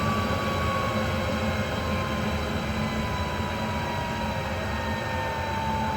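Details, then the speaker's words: 7.5HP (5.5kW) 3-phase regenerative ring blower on a 10HP VFD, free-spinning to a stop after cleaning debris out: smooth steady rush and even hum with falling tone, nothing rough; normal running. "that sounds a lot better now yeah I think we're good that is acceptable"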